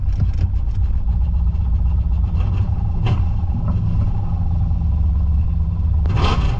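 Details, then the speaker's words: Holden VN Calais V8 on its first drive after a build, running so rich it kept fouling the plugs: deep rumble broken by irregular pops and stumbles under throttle as it misfires. "It's misfiring. Odd, isn't it? >> It was just running so rich. It just kept failing the plugs."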